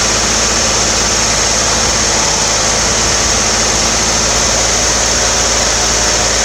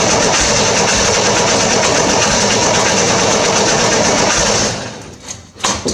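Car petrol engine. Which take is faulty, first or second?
second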